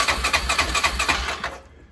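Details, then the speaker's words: Old Yamaha 350 Bruin ATV whose starter used to hang up and keep running, after the wiring fix: about two seconds of steady cranking at roughly four turns per second in neutral, then it stops cleanly, so the starter now works normally. "now she's running like she needs to be starter's not sitting there hanging up"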